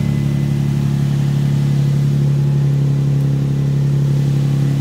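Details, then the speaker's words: Nissan VQ V6 in a drift project car, started and idling: a deep, even drone holding a steady pitch with no knocks or ticks. The engine starts and runs normally. "My VQ starts and runs great."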